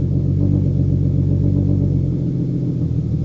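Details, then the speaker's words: Turbo M50 in an E36 drift car with Bosch Green Giant injectors and Link ECU, cold start: lumpy, uneven low rumble that wavers and dips as it struggles cold; rough cold start and idle because it's tuned for max throttle, not cold starts. "yeah it doesn't like cold start very much but it's not really tuned for that it's tuned to just go max throttle"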